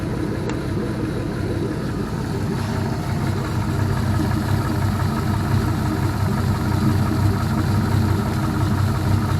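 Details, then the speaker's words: All-aluminum 5.3L L33 HO Gen 3 LS V8 on a test stand, warming up after a lifter replacement: steady, even idle with no lifter ticking or knocking, and faint injector clicking audible over the lifters; normal idle. "sounds great no lifter lifter ticking or knocking or anything anymore those lifters did the trick you can actually hear the injectors firing over the lifters"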